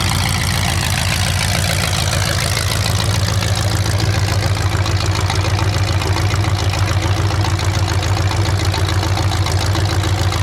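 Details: 427 big-block Chevy V8 on an engine run stand, first fire after sitting a long time; distributor timing just adjusted, owner thinks the wrong way. Deep loud steady open-header burble, even firing, no knocks or misses; normal healthy idle.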